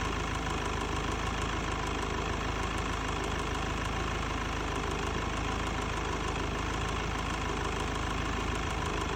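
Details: Mercedes C220 W204 OM646 diesel at warm idle: faint, irregular tick-tick-tick over the clatter appears after warm-up; vacuum pump, both fuel pressure regulators, filters, pulleys and belt replaced; DPF removed, EGR disabled; cause undetermined.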